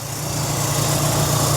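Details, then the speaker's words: 1993 Mk1 VW Golf Clipper arriving at a breaker's yard: smooth, steady idle with an even low beat and no knocks, ticks or rattles. Engine idling healthily, no awful sounds. "But it's running beauty. No awful sounds or anything."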